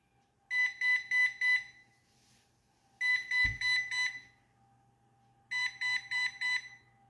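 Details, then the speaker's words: Coredy robot vacuum (similar to Eufy) with a solid red light: three rounds of four quick high beeps, its error code for a main brush that cannot turn. "today I just wanted to talk about um this kti um Robot vacuum cleaner that I have that is beeping four times and having a solid red"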